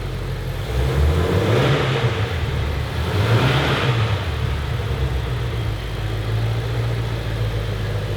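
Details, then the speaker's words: Rebuilt wrecked 2018 Ford Mustang Shelby GT350 V8, a little warm, first start after frame repair, exhaust valves not openable: deep, even rumble climbing smoothly through two clean throttle blips and settling back; healthy engine. "all right it's a little bit warm now let's hear some revs that big ol throttle body just a little bit"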